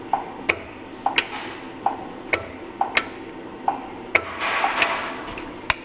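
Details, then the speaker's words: 2018 Ford F-150 2.7 in for check engine light with P0035 and P0471; probing the brown/white control wire, commanding it on grounds the circuit and the solenoid is heard clicking crisply about every two-thirds of a second, normal solenoid operation. "What do you expect? I expect the beeping to go away and it goes to ground. Ready? On. Boom. Just like that. Olson off. Plus, you can hear the solenoid."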